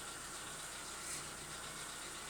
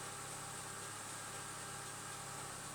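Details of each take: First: Chevrolet Lacetti petrol engine cold start: fast light metallic ticking of hydraulic lifters, now lasting about 15 seconds (earlier about 5) before stopping; none when warm; owner considering a lifter additive. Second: Chevrolet Lacetti petrol engine idling smoothly with a steady hum and no hydraulic lifter ticking; the owner had heard lifter knock for 5–15 seconds on cold starts only, and was testing an anti-noise additive.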